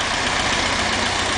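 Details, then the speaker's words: Restored 1977 Alfa Romeo S2 Spider with a two-litre twin overhead cam Nord engine, not yet fully tuned: a steady, even idle with a smooth, unbroken hum and no knocks or stumbles, so the engine is running normally. "'s the engine as you can hear it's uh operating perfectly fine that hasn't even been tuned yet"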